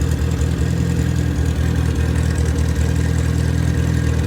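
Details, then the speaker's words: Freshly rebuilt MG Midget 1500 engine (also fits Triumph Spitfire), built for performance with flat-top pistons, 270 cam and head shaved to 9.5:1 compression, run-tested with no muffler: loud unmuffled exhaust with a deep, steady idle burble that settles evenly; normal idle. "i can't i can't talk much while it's running because of the uh the sound of the engine i don't have a muffler on it"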